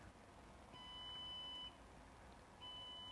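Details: Desktop PC switched on with no display on the monitor: long, high-pitched beeps repeat about one second on and one off. Suspected RAM/memory fault, not confirmed.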